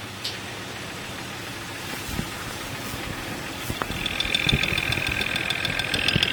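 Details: Jeep Cherokee XJ 4.0L inline-six, 175,000 miles, idling, heard through ChassisEAR channels at the injectors: sharp irregular ticks about three a second, louder later, number 5 cylinder loudest; intermittent knock, suspected lean knock from dirty injectors or piston slap, unconfirmed.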